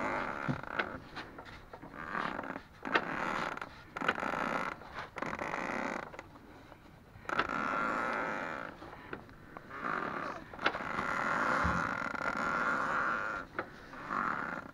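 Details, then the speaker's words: Ford Focus 2, 2.0 automatic, new driveshafts with 1000 km on them: both left and right outer CV joint boots give repeated rubbery creaks and squeaks while the wheels are turned. "вот такой звук я периодически слышу, когда выкручиваю колеса."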